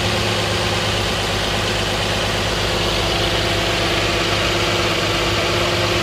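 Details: 2010 Nissan Maxima cold start idle, no knocking: smooth, steady even hum; car otherwise develops a loud puttering from underneath after ~15 minutes warm driving, noticed after an oil change; owner wonders about TSB NTB12-071 #1 crankshaft main bearing knock.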